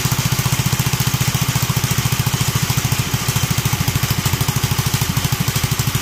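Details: Duromax 18hp engine, started with the intake filter removed: steady fast single-cylinder thumping with a slightly uneven pulse, idle not settling and near stalling; removing the filter did not fix the unstable idle.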